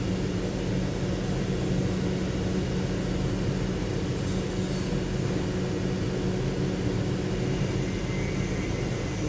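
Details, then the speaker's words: 2007 Lincoln Town Car V8 after replacing faulty cylinder 7 ignition coil: smooth constant hum, even low drone, no hiccups; power balance shows no misfire, codes cleared. Normal running after repair. "तो अभी miss fire नहीं है गाड़ी में ठीक है सात number coil का इशू था वो क्लियर हो गया"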